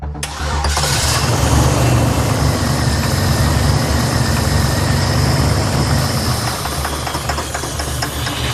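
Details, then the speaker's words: Buick Grand National with check-engine and check-gauges lights: after cranking it starts into a rough run with a steady knock about four times a second; real internal engine knock, lifters sound okay, fuel starvation suspected. "Unfortunately, the knock the knock is real. >> It is real. I did hear it, but it didn't sound like too detrimental yet."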